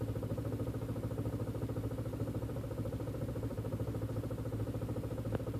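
Idle has a lumpy, uneven pulse about twice a second over a low drone, with a faint clatter; rough idle, cause unknown.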